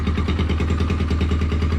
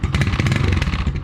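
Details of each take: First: Motorcycle after a major service with the carburettor and carbon cleaned out, started in the morning: a steady, even single-cylinder thump at idle with a regular beat, no stumbling or extra clatter. It idles cleanly and normally. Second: Motorcycle (single-cylinder) after a major service with the carburettor cleaned and a new battery, started in the morning: quick, uneven clattery ticks over a steady idle. The owner says something toward the back is rattling and still needs assessing.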